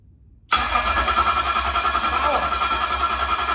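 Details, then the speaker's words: Ford 351 Cleveland 409ci 769hp engine on a run stand, 164-tooth ring gear, 3/4 inch starter on a bracket without bell housing; sharp starter whine over even low chug, cranking cleanly without grinding before ignition is switched on. "So I'm going to just turn it over, let it turn over, and then I'm going to hit the ignition switch and see what it does."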